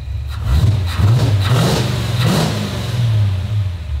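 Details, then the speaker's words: HQ Holden V8 after T5 conversion, service and new electronic distributor with coil bypassing resistor wire; crisp blips up and back, even firing, no misses or clatter; healthy revving. "nice running real nice see how she sounds really good [Music] that actually sounds really good right now"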